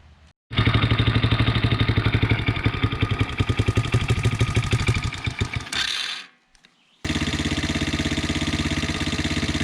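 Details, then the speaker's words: 110cc Chinese youth ATV, model 3050B, first start after engine rebuild (had run out of oil and seized): cranks, catches, settles to an even steady idle with no knocking while dripping a little oil; sounds healthy. "so she starts runs and idles dripping a little bit of oil"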